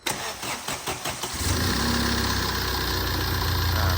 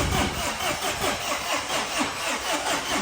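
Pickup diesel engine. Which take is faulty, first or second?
second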